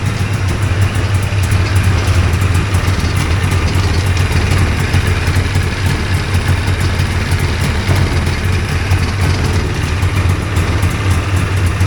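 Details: Two-stroke hovercraft engine, newly fitted coil, carbs sorted after trial and error, idles with a steady, even low drone, no misses, knocks or hunting, while warming up; sounds good, normal idle.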